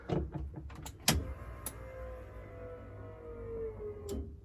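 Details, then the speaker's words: BMW E30 rally car being prepped for its first start after extensive work: a few clicks, then a steady electric hum slowly dropping in pitch over about three seconds; normal fuel pump priming. "a fuel pump that's good"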